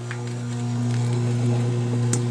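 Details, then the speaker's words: Frigidaire washing machine that would not drain, drain pump removed and bench-tested after a resistance check: a steady low electric hum with a faint buzz as the pump vibrates and spins freely; normal drain pump running. "And it's vibrating. And it's spinning."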